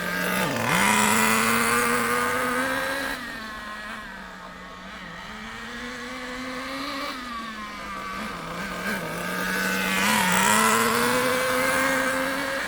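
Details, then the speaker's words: Nitro RC car engine set very rich during warm-up to operating temperature. It burbles and wavers instead of screaming, pitch sagging and recovering, sluggish because excess fuel is not burning off. It quickens as it warms. "sluggish the reason for that is because there's a lot of fuel a lot of nitro going into it and it can't burn it all off quickly or efficiently"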